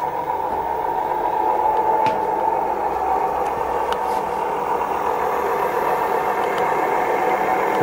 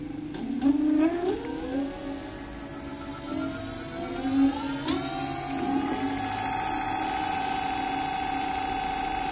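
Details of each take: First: Dual Moto electric scooter wheel after being hit by a car, bearings with heavy play: steady coarse rumbling roar "like a train" from worn rear wheel bearings; front already replaced sounds like new. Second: Dual Moto electric scooter, crooked after being hit by a car, hub-motor wheel after replacing 6003/6202 bearings with lubrication: clean rising whine settling to a smooth steady hum; previously sounded like a train, now like new.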